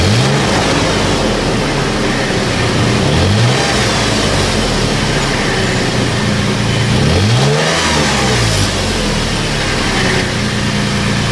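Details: About 15-year-old Toyota FJ Cruiser on the lift with its original rusted OEM exhaust, before the MagnaFlow cat-back replacement: even, deep idle with several quick revs, no rattle, blowing leak or misfire; healthy stock exhaust.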